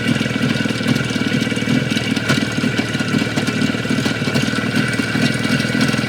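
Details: Jupiter 5 two-stroke, two weeks on: idling with a rapid, sharp tapping over the exhaust beat throughout; mechanical engine knock, source not yet pinned down.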